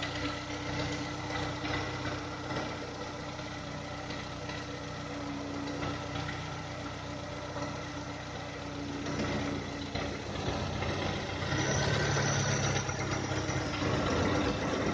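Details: 2010 VW Touran 1.6 BSE, sat two days, cold idle below 1000 rpm: steady light knock about three or four a second, fades above 1000 rpm and when warm; rebuilt about 15,000 earlier with new pistons, valves, hydraulic lifters; cause unclear.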